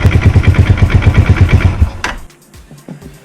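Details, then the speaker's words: Lifan JR200 motorcycle engine, just over 9,000 mileage: heavy, regular low thumps about three a second over the engine note until it cuts off. Engine knock, cause being investigated, not confirmed. "вот такой неприятный звук доносится из мотора"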